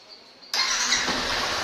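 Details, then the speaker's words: 2019 Yamaha Crosser Z 150 single after cleaning with vinegar: quiet, then it fires at once and settles into a smooth, even idle with no stumbling. Starts cleanly and runs normally. "funciona normalmente vocês podem ver não apresenta nenhuma falha tá tudo certinho"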